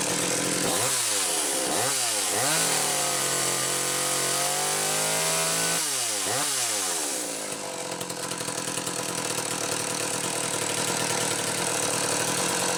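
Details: McCulloch Power Mac 320 chainsaw with original auto-sharp system, test run after the pulse hose was found off and fixed: crisp blips rising and falling cleanly, then a steady high-rev scream without bogging; normal running.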